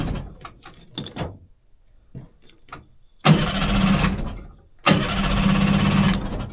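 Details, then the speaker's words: 30 hp outboard on a 14 ft alloy boat, barn-stored for years: coughs then catches in rough, lumpy bursts that keep dying; one cylinder dead because a spark plug is shorting internally, both getting fuel. "all right must be a dodgy plug that'll explain what wasn't running too well"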